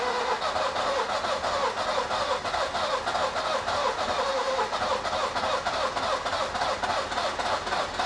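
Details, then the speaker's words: Nissan Micra K11 cranking with fuel pump fuse removed to clear fuel: even starter cranking about three beats a second, never catching; engine flooded with fuel. "It's definitely flooded. It's got a lot of fuel in there still. I'm just trying to clear it out now."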